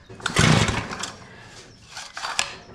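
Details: Curb-found Mantis-style tiller, two-stroke Tecumseh engine, no-start: a few sharp sputtering pops on rope cranking that never catch; engine spits but won't start. Owner suspects fouled RCJ8Y plug or too much fuel; starter dogs need cleaning.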